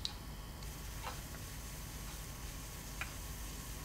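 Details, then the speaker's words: Toshiba Satellite Pro CDT440 laptop 3.5-inch floppy drive, being repaired with a rubber band, diskette inserted: soft steady spinning hum with light head-stepping ticks, disc rotating; normal floppy drive operation. "the disc is rotating"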